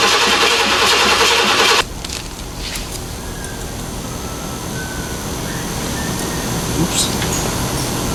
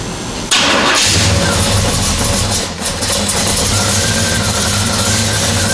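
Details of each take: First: Square body Chevrolet C10 with new Blueprint Engines 350 and 700R4, new exhaust, first start: loud catch then steady even idle, no knocks or misses, oil pressure reading right away; normal start and idle. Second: Square-body Chevy C10 with fresh Blueprint Engines 350 V8 and new 700R4 transmission, first start: cranks and settles to steady idle with a light scraping rub underneath; owner first suspected plastic dust shield, found flywheel counterweight rubbing the dust shield.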